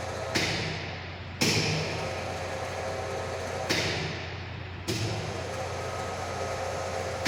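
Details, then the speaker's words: High-voltage lab sphere-to-sphere gap set to 40 mm, voltage raised above previous 35.42: sharp irregular cracks over transformer hum at breakdown, secondary tripping off each time; breakdown 50.94. "Yes, when breakdown occurs, this gets tripped, disconnected. Secondary gets disconnected."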